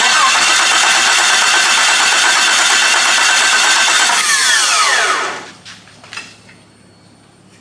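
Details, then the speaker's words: Wrecked two-wheel-drive Jeep Cherokee, engine labeled bad: the starter spins the engine steadily but it never catches. There is fuel pressure but the injectors aren't firing or spraying fuel. A crank sensor swap is tried next; a bad computer is suspected. "fuel pressure but it ain't spraying the fuel even if this was out of sink I feel like it's still it'll be spraying fuel"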